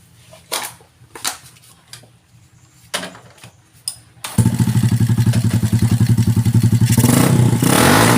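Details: Honda Supra X125/Kharisma small single, owner reports low power, started after adjusting a timing mark position: handling clatter, quick even beat near four per second, rises cleanly on throttle, no misfires; normal revving.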